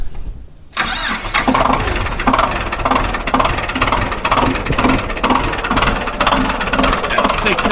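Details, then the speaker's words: Ford 2120 diesel tractor that sat for years, started in neutral the next day without glow plugs: brief crank, catches at once, settles into steady even clatter, no warning lights; healthy cold start. "We started right up without blows. No warning lights. So, you know what? This thing sounds pretty good."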